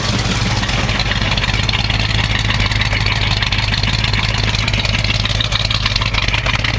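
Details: 1968 AMC AMX, originally a 360 Go Pack, now with a 1972 401 V8 and four-barrel carb, at first start: rough idle with light ticking in step with engine speed. A lifter was later found worn through, with a hole in its bottom.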